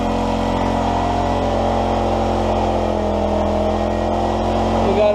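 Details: 1991 Honda EX1000 generator after no-spark fix and tune-up, cold start on choke: steady even hum at constant speed, no hunting or misses, putting out 50–60 Hz.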